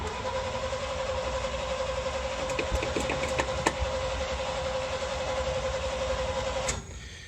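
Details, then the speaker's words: 1977 International Super Scout II V8 4-speed 4x4, cold after sitting a week; long steady cranking with rhythmic chug about four beats a second, never catching, hard start because the choke won't close, though the engine is said to run well. "Like I said, you got to fight with this choke a little bit to start it. When it's been sitting, you got to pump it quite a bit."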